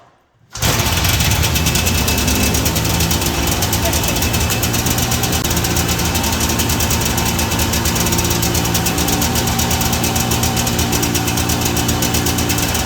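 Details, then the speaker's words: 1982 John Deere Liquifire 440 liquid-cooled two-stroke barn-find snowmobile: engine holds a loud, raised, steady speed without dropping back to idle because the partly broken throttle cable hangs up on high idle after revving. "The throttle cable is a little bit broken, so it's hanging up. Every time you rev it up, it kind of hangs up on high idle."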